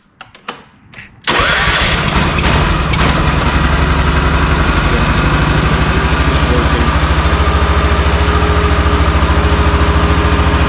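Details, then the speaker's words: Honda RT5000 4WD, 4-wheel-steer tractor, bought cheap, started on choke after reassembly with plastic fuel tank, throttle cable still loose: few clicks, catches at once, steady even idle about 3.5 pulses per second; runs good. "I just plugged everything in, fired it up, and she runs good."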